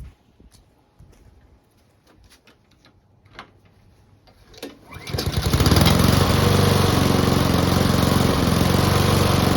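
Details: Honda and Mountfield petrol lawn mowers (Mountfield fitted with a replacement fuel tank) started together before winterising: a few quiet clicks, then both fire and settle into a strong, even drone with no misses or rattles.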